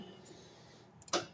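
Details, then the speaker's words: Metal lathe lid interlock micro switch after contact cleaner: single crisp click over quiet hum; opening the lid pushes the switch in so the lathe can't run, closed it can; switching properly. "Right now, if we turn the lathe on right, uh, you can hear that clicking in and out."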